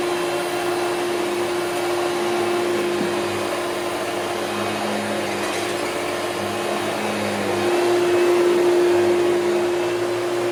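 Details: Hoover Celebrity QS vacuum on high speed after top motor bushing was lightly lubricated: steady roar with a whistling tone coming and going, improved but still poor on wind-down; dry bushing suspected, needs dismantling; motor bearing noise.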